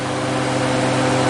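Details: 2JZ drift truck radiator fans running on a newly added ground-side relay switch: steady, even electric whir with a constant hum and no rattle or scrape; the fans work properly.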